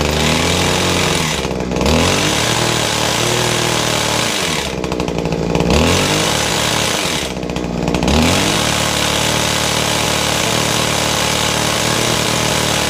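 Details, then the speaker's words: Kawasaki two-stroke hedge trimmer, started after priming and choking. A loud, ragged buzz with dips that never picks up, a rattle from the gears underneath, and heavy smoke: gear rattle and poor running; a restricted muffler will be checked first. "okay so five strap it up which is great but it's not a well puppy it's got a rattling noise from the gears gear Samri rattling and it is terribly smoky it's not running right"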